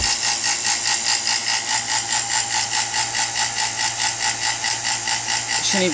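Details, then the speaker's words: New two-stage 3.9 CFM non-name-brand vacuum pump at startup: loud pulsing drone with a hissy edge, about two beats a second, unusually noisy then quieting down; cause unclear. "making that noise that's kind of weird um it's a new pump but I think oh there it goes it's quieting [Applause] down"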